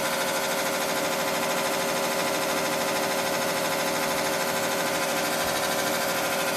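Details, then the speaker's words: 1986 Carrier Siesta 6100 BTU window air conditioner running: fast, uneven rattling scrape about twice a second over steady fan roar, like a lawnmower; fan blade striking shroud, something caught inside, still blowing cold air; lower radiator part rusted. "definitely something wrong with it [Music] it sounds like there's something caught inside of it it is blowing cold air all right sounds like a lawnmower"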